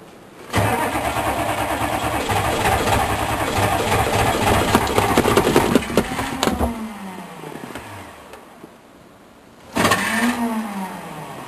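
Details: Chevrolet K3500 diesel with 4L80E transmission, sat six months, cold start on starting fluid: long steady cranking around three and a half beats a second with no catch, starter winding down twice; not firing.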